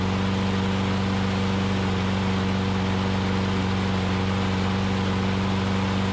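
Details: Older Troy-Bilt push mower after refitting the governor spring in its correct position, with a dry-rotted, broken carburetor bowl O-ring found, primed, holds an even steady drone without hunting; runs normally; carb still due for cleaning.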